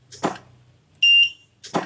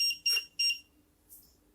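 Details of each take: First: Godox SK400 studio strobe after repair of E3 error and blinking fault, at 1/1 power: sharp full-power pops with a steady ready beep about a second later, louder than the soft pops before repair; normal firing and recycling. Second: Godox SK400 studio flash, dirty, previously dead and owner-repaired: three short high-pitched beeps after power raised from 1/16, showing E3 error with very weak output; needs servicing.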